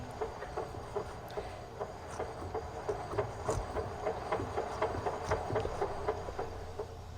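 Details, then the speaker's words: 1988 Honda CRX Si with a B18C Type R swap and a rebuilt ITR transmission: sharp, regular clicking about four times a second over road rumble whenever slowing down, in any gear, clutch in or out, or in neutral. "As you can hear, it is a little bit like a just a clicking noise, but it was really pronounced as I was driving down the road."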